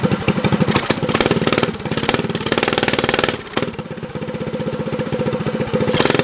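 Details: Motovox mini bike with a Predator engine, abandoned outdoors for two years, after carburetor idle screw adjustment. Small single-cylinder runs at a steady quick beat with light blips, settling evenly. Now idles with choke open or closed; normal idle.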